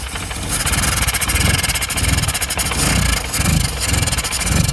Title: Austin 1100 - rough idle and not revving